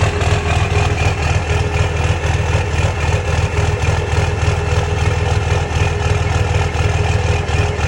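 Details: 2006 Cummins diesel at idle: a lumpy, uneven clatter with a surging, loping idle and an intermittent misfire, with no smoke. The owner suspects bad injectors, unconfirmed.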